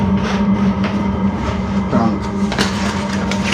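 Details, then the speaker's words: Diesel heater running with lid on, exhaust through the pipe, supplied muffler has no baffles: steady droning hum with rough rushing note; normal running, loud exhaust without effective muffler. "so all you can hear now is just the exhaust I'd say it's it's not that loud the exhaust will be better it's just it sounds that way because it's in the pipe"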